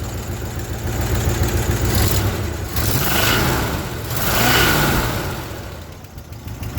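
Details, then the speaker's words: 1966 Ford Galaxie 500 LTD with tired, probably high-mileage 360 V8 running what is thought to be 15W-40 oil, revving as it warms: light quick ticking growing louder as it warms, warm-up smoke, oil pressure dropping to near zero; likely lifter tick. "oh there it is now it's ticking comes the smoke the warm up smoke so yeah as it warms up it'll get louder and louder"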